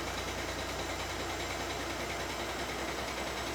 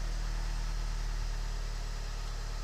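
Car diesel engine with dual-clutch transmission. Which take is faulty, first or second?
first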